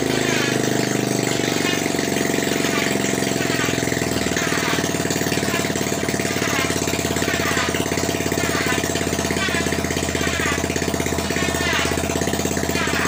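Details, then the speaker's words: Honda XRM 125 after overhaul with new connecting rod and RS125 block and head, exhaust not yet fitted: engine catches and settles into a steady, even idle with a crisp beat, no knocking or smoke. Normal idle. "Ayan na, okay pa naman itong kanyang sa block. Wala pa namang usok ang block ng RS. So goods"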